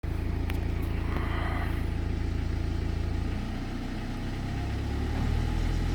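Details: 2009 BMW 320d E90 with the N47 diesel, 67,000 km, at idle: steady idle with a fast, even rattling patter on top; the owner asks whether it is a stretched timing chain or normal, unconfirmed.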